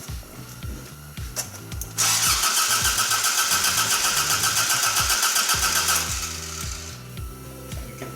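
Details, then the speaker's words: Toyota AE86 after ignition coil replacement and engine harness check, first start attempt: the starter cranks steadily at about four beats a second with a couple of pops, but the engine never catches; owners suspect the timing is a tooth off. "You can hear it popping twice when you have it all the way. Yeah, all the way this way. Yeah. So maybe the tooth might be off inside."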